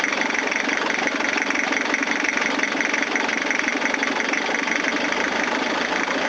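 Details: Toyota diesel cranking after a fuel filter change with the lift pump not working: long, even chugging crank that never fires because air is in the fuel lines; may need injector lines cracked to bleed.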